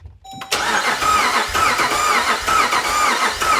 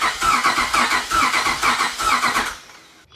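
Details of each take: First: 5.7 Hemi V8 Jeep Grand Cherokee with newly installed El Chapo cam, not yet started after tuning, during a compression test: starter cranks with even, regular pulses, each stroke alike; this cylinder reads about 150 psi, healthy. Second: Cranking a cammed 5.7 Hemi Jeep Grand Cherokee after an El Chapo cam install and tune: fast cranking with a lopsided beat, one stroke per cycle light; zero compression on one cylinder, possibly a pushrod out of place.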